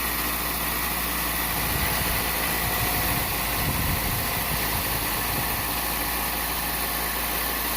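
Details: 2000 Toyota Celica after replacing the exhaust manifold gaskets to cure a leak that caused lean code P0171: steady, even idle with a smooth low hum and no ticking or puffing; anti-seize burning off, no leak.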